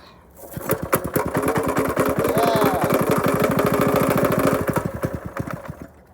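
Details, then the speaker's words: Predator 212 single-cylinder engine being restored, smoking from oil everywhere. It putters unevenly at about 200 firing pulses a minute, surging and stumbling instead of holding a steady idle; owner says the fuel ratio is messed up. Rough running. "It's alive. It's just not getting, it's not getting, the fuel ratio is absolutely messed up."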